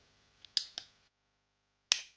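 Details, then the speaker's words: Kimber revolver: crisp, light clicks as the action cycles, then a sharp break. A smooth double-action pull that stacks to the notch, with no grit or hitching. "Just smoothly stacks right to the notch and then pulls."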